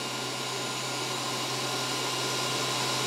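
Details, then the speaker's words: WULF PCP air compressor with only the cooling fan running before filling; temperature dropping from 18°C to 17°C: steady airy whoosh with a constant low hum and no rattle or wobble; the cooling fan is running normally, drawing in cool air. "the temperature will fluctuate as the motor turns or as the fan motor comes off but we just want to see that it's changing temperature and that it's sucking in cool"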